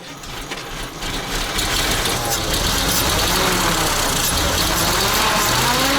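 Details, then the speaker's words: ZIL crane truck petrol engine revived after 20 years standing: uneven chuffing run about four beats a second, stumbling and panting; misfiring and puffing because it used up all the petrol. "Затроил он и запыхтел из-за того, что сожрал весь бензин."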